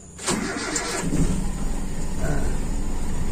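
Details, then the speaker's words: Toyota Kijang Super carburettor engine, cold start: starter cranks slightly long, then catches and settles into a fairly smooth but slightly low cold idle, expected to rise when warm; sign of a lean idle circuit. "agak panjang dikit lumayan halus teman-teman nah ini RPM pasti begitu teman-teman sedikit lebih rendah nanti setelah panas akan semakin tinggi"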